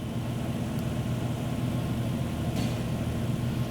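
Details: 2011 Chrysler Town & Country/Grand Caravan 3.6L, 115,000 miles, intermittent crank-no-start and stalling under diagnosis: smooth, steady low idle with no misses, knocks or ticks, settling evenly; fuel pump readings look good.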